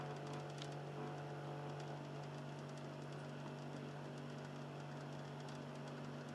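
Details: Xbox 360 Slim, Philips lite-on DVD drive, console in standby. Faint, steady low hum with light, uneven scratchy ticking in a quiet room; the drive motor is grinding softly with a lower tone than before.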